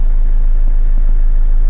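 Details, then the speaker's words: Mercedes CLK 220 with a no-start complaint, jump-started from a booster pack, idles with a steady, low, even pulse, no stumbles or warning lights; normal idle, the only fault being a weak battery needing replacement. "apart from needing a battery. Not even got any warning lights on the dash. So, we'll leave this running for now."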